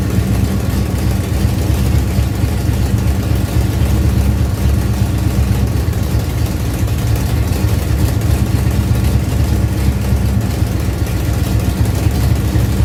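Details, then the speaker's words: Ford Pinto drag car with rebuilt Holley carburetor, after backing off the secondary throttle stop: deep steady burble, settled idle running on its own without hunting. "guys so now it's actually running on its own"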